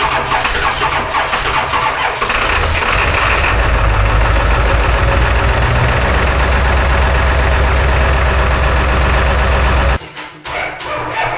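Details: Dually diesel truck at 18°F on a jump box, with a failing starter and only about three working glow plugs: slow, laboured cranking for about three seconds, then it catches into a loud, rough clatter. A hard cold start.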